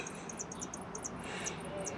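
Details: MaxxAir MaxxFan/Fantastic Fan RV roof vent on a 2019 Rpod 180, after oil drops on the motor axle (first fix attempt): irregular high chirps, several per second, over a quiet fan rush; the motor bearing still squeaks, so the fix failed.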